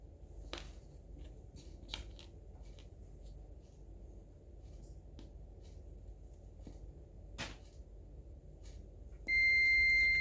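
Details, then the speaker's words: Replacement SMD PCB push switch for an electric water gallon pump (old switch faulty, hard to turn off) tested with a multimeter: quiet clicks, then one clean continuous beep when pressed; switch conducts properly. "Sebelum memasangnya, kita akan mengujinya terlebih dahulu dengan multimeter untuk melihat apakah komponen ini benar-benar berfungsi sebelum kita memasangnya."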